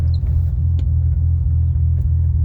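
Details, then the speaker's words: 1988 BMW 528e with a stock M20 B25 top end and cam: a deep idle rumble with an uneven lope several times a second; the cam is ruled out as the cause. "You might be able to hear that on the video. The idle has a certain lope to it. It's not the cam. It's a stock B25 cam."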